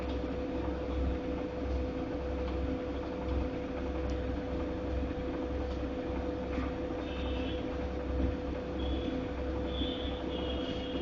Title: Godrej fully automatic washing machine making noise 3